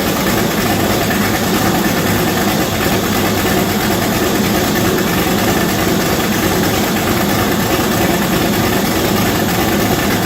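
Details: V8-swapped Chevette, first start before turbo fitted, radiator hoses installed and filled with water, mass airflow sensor unplugged: steady even idle with deep rumble and constant roar, no knocking or hunting; normal idle.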